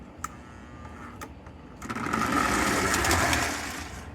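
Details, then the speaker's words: Rusty, pitted Lionel 2056 locomotive with a tender someone rewired, first test run on track: a few clicks, then a rough, buzzy motor whir swells about two seconds and fades; E-unit/motor buzzing expected, cause unconfirmed. "If it does run, it's probably going to be really loud. Lots of electrical buzzing and humming from the E unit and motor and whatnot."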